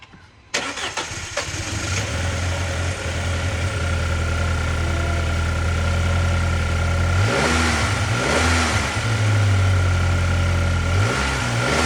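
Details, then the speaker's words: Audi A4 Avant 2.0L after spark plug replacement fixing a misfire: cranks, catches quickly and settles into smooth, even idle with clean blips, no stumble; misfire gone, running much better. "Alright, we're set. Running good. Million times better. Way better."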